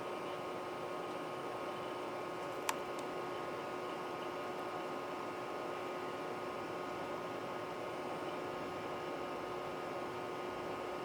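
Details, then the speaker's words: Original Macintosh II M5000 being restored (leaking capacitors, dead batteries), semi-cold boot; steady soft fan rush with faint constant drive whine, no ticks or grinding. Normal running. "Okay. Let's have a listen to this thing. Start to finish, running. From a somewhat cold boot, but not really."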